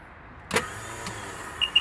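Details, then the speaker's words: 2003 Sea-Doo GTX 4-TEC jet ski, 600 hours, 130 psi compression: sharp click on start, then only beeps, no cranking; owner suspects failing Bendix gear or starter not spinning fast enough to engage. "as you heard right there the engine did not crank so that i believe is the bendex gear failing or the starter not spinning fast enough to activate the spring gear"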